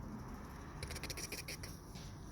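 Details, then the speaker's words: 2011 Hyundai Santa Fe, rear brake with the wheel off, caliper shaken by hand: a short burst of light metallic clatter from sideways play, because worn caliper brackets let the caliper move. Pads are cracked and half worn. It needs new rotors, pads and caliper brackets with new hardware. "but yeah the main concern is right here this is the rattle"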